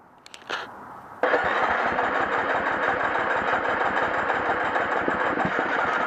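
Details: Hard-starting 2011 350 XCF single: a short crank, then it catches and settles into a fast, uneven run; cause not evident by ear.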